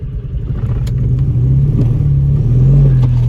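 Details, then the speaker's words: Audi TT that cannot even climb onto the ramp: deep, uneven, lumpy stumbling rumble with the car shaking and no clean pull under load. It is badly misfiring. "come on this is dead you see it shaking"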